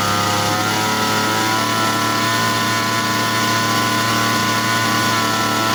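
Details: Grass trimmer two-stroke engine, serviced for dying when started warm, test-run over 5 minutes: steady, even high-pitched drone at constant speed without stumbling or dying; normal running.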